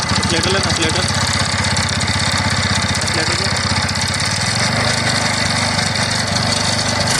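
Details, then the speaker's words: TVS Ntorq BS-4 scooter engine just after start-up: a rough, irregular rattle over the idle. The owner suspects the one-way starter clutch has failed, and the engine is to be removed to check. "हैं तो जैसा कि आपने सुना यह आवाज तो मेरे ख्याल से जो इसका है वह व्वे खराब हो गया या ₹1 का नोट खुल गया है"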